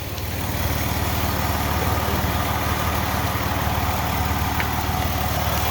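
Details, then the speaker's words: Ford Escape with P0405 check engine light, after fitting a new DPFE sensor: steady petrol idle with a rough, puffing exhaust note from an exhaust leak, which may affect the EGR reading but is not the main problem. "so what's our new sensor there you can hear an exhaust leak on this thing too that will definitely affect the way this works but um it's not really too much of an issue for our problem here"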